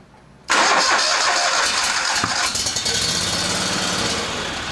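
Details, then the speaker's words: Briggs & Stratton Vanguard 37hp big block EFI engine, freshly serviced with new plugs, filters, oil and fresh gas: catches, then speed rises and falls in a slow lope that persists even warm; fuel pump suspected. "You can see this engine's got that little surge in it. It never goes away. Even when the engine's warm, it still has that little surge or that little bounce."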